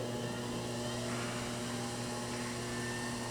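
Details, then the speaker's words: Bridgeport Series II vertical milling machine knee power feed moving the knee down at slowed speed: smooth constant motor hum, no grinding or clicking; works really nice. "I'm going down right now. This all works really nice."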